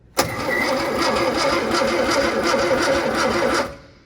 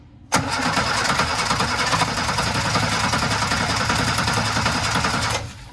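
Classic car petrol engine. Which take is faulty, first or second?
second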